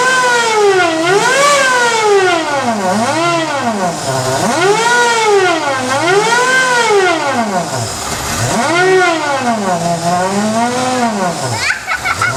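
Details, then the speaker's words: Rover SD1 with exhaust pipe only half connected at the joint: harsh, raw, very loud bark rising and falling as engine is blipped; exhaust leak at loose pipe joint. "oh I say it's half connected just got the pipe be I miss blasted any crap so mind your eros it's pretty loud"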